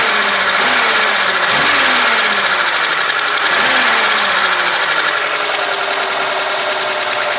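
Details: VAZ 2106 engine idling after a major overhaul: fast, light metallic ticking steady at half engine speed, from rocker arms tapping in the valvetrain.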